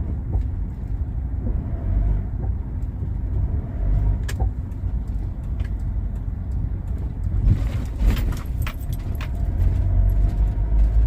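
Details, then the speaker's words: Mitsubishi Pajero Full: sharp metallic clunks from the rear when accelerating and when lifting off the throttle; owner suspects a loose nut at the end of the rear axle shaft, needing tightening. "Acelera, faz esse barulho. Tira o pé, faz esse barulho. Então é esse que é, acho, se eu não me engano, é o eixo aquele, aquela parafuso, aquela, aquele, aquela porca que fica no final do eixo"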